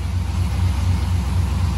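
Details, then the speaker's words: Car engine after a backfire on startup: deep lumpy idle pulsing every quarter second instead of an even rumble; owner suspects ignition timing problem, not confirmed. "it sounds so weird there's got to be a timing problem it just fires"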